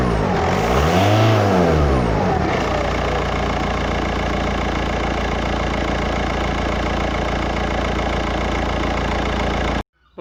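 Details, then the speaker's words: 2007 VW Touran diesel, 117–118,000 miles, smoke complaint: after a brief rev, even idle with a faint rhythmic puff of gas escaping near the front exhaust gasket; exhaust leak, suspected blown by back pressure from a blocked DPF. "definitely this guest is escaping from somewhere"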